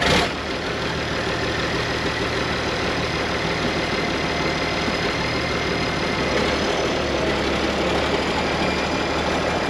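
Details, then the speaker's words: Abandoned IH 4166 tractor diesel, sat since about 2015-2016, running after moving it in reverse: steady clatter with slightly wavering idle speed; owner says the pump is fluttering and suspects the injection pump is failing. "Yeah, the pump's fluttering. I think the injection pump might not be that long for"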